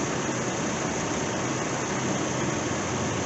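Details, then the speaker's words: Truck with 268,384 miles, parked unused for years (stated as both nearly 6 and 11), engine said to be junk. It fired right up after priming the pump and shows 62 psi oil pressure, with a steady, even, smooth idle and no knocks or misses. "Prime pump a few times fired right up listen to that thing 62 pounds oil pressure"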